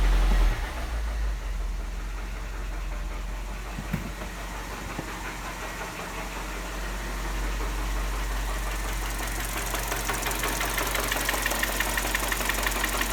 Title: PISTON SLAP - uzură și zgomot Mini One 1.4 16 v